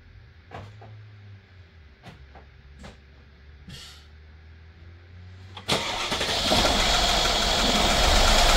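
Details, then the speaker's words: 2016 Mercedes-Benz S550 W222 V8 after spark plug and ignition coil service: a few clicks, then cranks and catches into a rough, uneven idle; misfires because the coil connectors were left unplugged. "okay all we did was just create more misfires I could feel the car wasn't running right"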